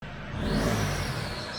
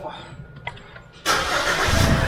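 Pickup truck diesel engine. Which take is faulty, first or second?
first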